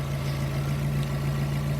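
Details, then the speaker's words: NB Miata four-cylinder idling after a harmonic balancer fix: a steady, even hum with no knocks, sitting slightly high for an unknown reason as the AC kicks on. Otherwise running well. "It seems to be running really well, although it's idling a little bit high for some reason. I don't know why that is, but did you hear the AC kick on?"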